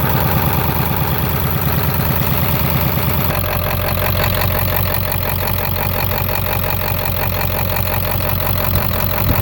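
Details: 7.3 diesel with blow-by and twin pyrometers, idling: heavy idle with an uneven, lumpy beat that changes tone partway through; rough idle, cause not evident by ear.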